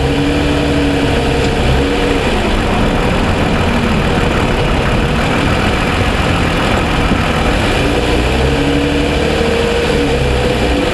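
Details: 2007 Toyota Sienna, engine fully warmed after about 45 minutes of driving: steady, even idle hum with a smooth low drone and no sharp ticking standing out, unlike the cold-start ticking (suspected piston slap).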